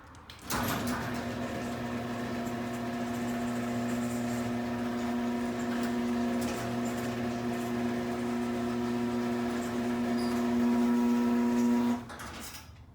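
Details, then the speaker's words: Chamberlain garage door opener running normally, with steady motor hum and even chain rattle for about eleven seconds, no catches or knocks; compared against the belt-drive B550, where the motor is barely heard, mostly the door wheels. "I mean with the belt version you barely hear the motor you just mostly hear the garage door wheels it's amazing"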